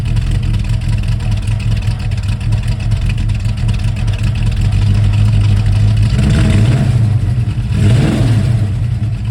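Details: 1971 Mercury Comet GT V8 with roller lifters and a small cam: rough chugging idle with uneven clack over a deep lumpy rumble through small revs, down on power; suspected collapsed lifters or bad cam, metal fragments and needle bearings in the oil.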